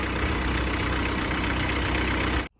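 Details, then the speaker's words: 1994 Isuzu Panther diesel, first owner, 30 years without an overhaul, after engine overhaul and a full-AC drive from Malang to Blitar: smooth, even light clatter at 90°C, called safe, then a clean shutoff; normal warm idle. "Jadi full AC dari Malang sampai Blitar lagi full AC. Buka ini. Sangat aman. Jadi temperatur 90 ini. Tapi masih aman, ini nggak masalah. Aman."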